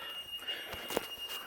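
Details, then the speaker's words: Boat cabin during a mid-winter checkup: a steady high-pitched float alarm sounds because water in the cabin isn't being pumped out. The owner suspects the batteries are dead. "And you can hear the alarm. And it's got water, and it ain't pumping out."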